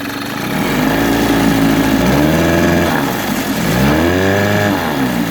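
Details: Older Mercury outboard, likely 1980s, fiberglass hood, likely 9.8 hp, new impeller and gear oil; small two-stroke buzzes steadily, revving up and down cleanly with smooth pitch changes and no misses; normal running.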